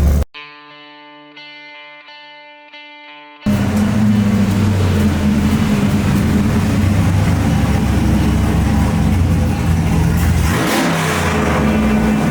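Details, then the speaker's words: 2002 Silverado 5-speed with a freshly cammed 6.0L LQ9 V8, true dual 3" exhaust, just tuned; cold start: fires after a quiet moment into a loud, choppy, lopey idle, steady rhythm, no knocks; background music. "I'm gonna try not to floor it for the sake of catching my initial reaction on film, but let's get a dirty little cold start."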